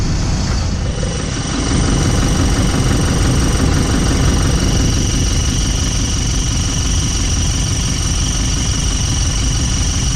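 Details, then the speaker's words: Toyota Prado 150 diesel at idle with a steady high-pitched squeak over the engine from a worn exhaust gasket, before the gasket is replaced (part 17451-74051). "that's what we're going to try and fix today annoying little squeak from the exhaust gasket"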